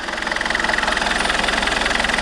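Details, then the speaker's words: Alfa Romeo 159 1.9 JTDM diesel idling right after a new turbo was fitted, with intake pipe not yet connected so not revved: steady, quick, even clatter with constant pulse, no whistle or misfire; healthy idle. "nope that sounds pretty healthy generally sounds healthy that"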